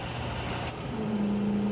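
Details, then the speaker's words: CascadeTek vacuum oven profile with a 150 set point: short hiss, then steady low hum as the vacuum pump switches on after the 5-minute soak step; pump running normally. "You can hear right now the vacuum pump just turned on, so the 5 minutes is up."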